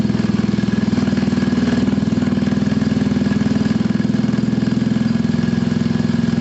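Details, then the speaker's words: Scooter from a Gilera DNA 125 / Pulse Force 50cc project (which one is not stated), warming up with the automatic choke possibly still on and the back wheel spinning: steady, even idle with a quick regular pulse, no knocks or misses; owner says running is spot on, idle adjustable. "You can hear it, guys, it's absolutely spot on. There's no issues at all with that running."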